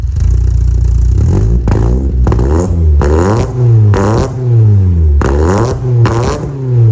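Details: VW Mk2 Golf GTI 2.0 8v project build, engine heat cycled a few times, in the garage: repeated blips rising sharply and falling back cleanly, deep crisp exhaust with no rattles; normal exhaust note.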